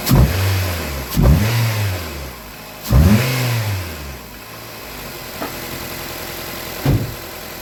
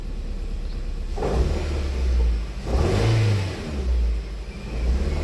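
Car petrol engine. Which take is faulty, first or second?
second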